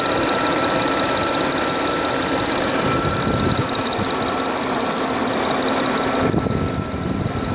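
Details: Audi A6 4F 3.0 TFSI at standstill idle, phone mic moved over the engine from above. Fast light ticking over the engine hum, roughly three a second, fairly uneven; source undetermined.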